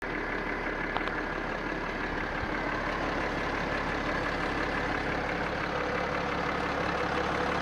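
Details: BMW X5 E70 3.0sd M57 diesel at idle: loud steady tapping about three per second, heard clearly at the right front wheel arch. It speeds up with rpm but not louder, and fades by 2,000–3,000 rpm. Injectors bench-tested, three restored, corrections ideal; piston suggested. Engine knock.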